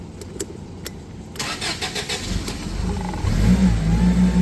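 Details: Toyota 8FGU25 propane forklift, after oil pressure sending unit replacement and the fuel selector flipped back to propane: brief cranking, then it catches at once and settles into a steady, rising idle; a normal start, and the oil pressure light is gone.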